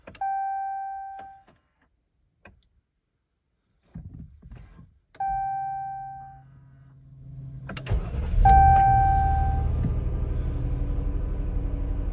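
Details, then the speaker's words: 2020 Jeep Cherokee Trailhawk, about 16,000 miles, after a roughly 10°F night: chimes and warnings, starter cranks, engine catches and stays idling when started with a jump pack; on cold mornings it otherwise starts then shuts off. "it stays started but it generally keeps one error message up this time it's the parking brake so it only happens on cold mornings"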